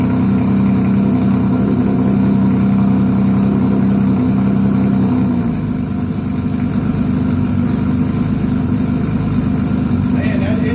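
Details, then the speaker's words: 1982 Honda CBX 1000 six-cylinder first start after carburettor work fixing cracked, leaking float-bowl overflow tubes; smooth, even hum holding steady with a slight pitch change midway, no misses or knocks; normal idle. "Damn, man, that's exactly how it's supposed to happen."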